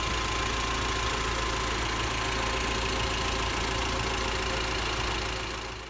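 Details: 1999 Honda Civic Type R (EK9), 103,247 km, petrol engine idling with a steady whirring whine and light rapid tick about four a second; cause was a worn air-conditioning belt tensioner bearing.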